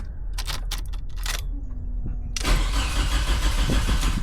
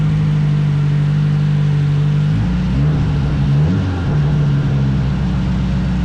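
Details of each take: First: Nissan Sentra project car that ran days earlier, now with no spark: a few ticks, then steady starter cranking at about three pulses a second that never fires; crank no start, a blown fuse later found. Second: Nissan Sentra turbo build, startup after a no-spark fault was fixed and new V-band exhaust welded: deep, steady exhaust drone with a couple of short rev blips, firing evenly; runs cleanly.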